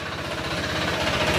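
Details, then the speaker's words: Honda PCX160 at 126,434 km idling, then revved, with a hard, rapid metallic knock on every firing pulse that rises with acceleration. The knock is not from the pulley or transmission. It is a connecting rod knock found before an engine overhaul, with the crankshaft suspected. "Dinig niyo na yung tunog niyo mga sir. Yan. Tapos full rate tayo. Okay. Sumasabay sa acceleration."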